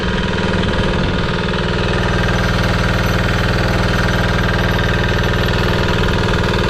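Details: Amazon 196cc Chinese single-cylinder diesel belt-driving a 6-phase scooter hub motor as a generator, first loaded test run: fast, steady, even clatter with no misses or surging. Engine running fine; some smoke, expected to clear once warm.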